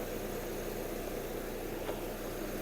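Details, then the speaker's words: 2009 Skoda Octavia A5 1.6 MPI petrol, 236,000 km, under the bonnet with the A/C compressor just engaged: quiet, smooth idle with a faint steady hum, no ticking or stumble, no smoke, misfire or breather blow-by; normal idle. "кондиціонер справний компресор вмикається якраз вмикунувся компресія есть мотор не димить не троїть не сапунить"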